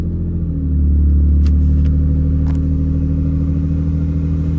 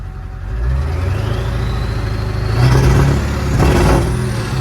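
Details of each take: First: Vehicle back from winter hibernation at 11 degrees, battery tended: catches quickly after a brief crank, settles into a steady, even idle with a smooth low rumble, no misses; normal cold start. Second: Diesel, warmed up, freshly refilled after running low in bitter cold. Revs and holds with slightly uneven stumbling note; owner says fuel still partly gelled, debris in lines, hopes full tank and warmer weather clear it.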